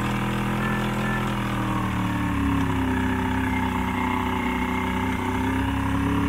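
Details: Old 90hp Johnson outboard on a 1987 Crestliner, sat about a year, fresh plugs: low droning idle with wavering, sagging pitch; rough running, needs carb work and fuel line cleaning.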